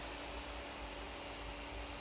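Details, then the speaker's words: MSI GTX 970 Twin Frozr graphics card fitted with replacement repainted fans; constant high whir and hum over an airy hiss with no slowdown. One fan is stuck at full speed. "it looks like one blade is actually spinning but that's faster than the other yes it's very odd I've never seen that"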